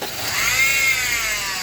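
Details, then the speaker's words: Honda Civic just started, loud noise from the front of the engine; loud high-pitched whirring squeal, rising then settling. Later traced by stethoscope to the belt tensioner bearing. "Ayan o. Ang lakas ah. So malakas ang ingay."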